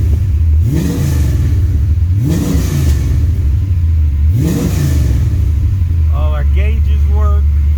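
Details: 1978 Chevy Malibu swapped to a carbureted rebuilt iron-block LS 6.0 (505 hp), finished build: steady lumpy idle with three crisp throttle blips rising and falling cleanly; V8 revs freely and sounds healthy.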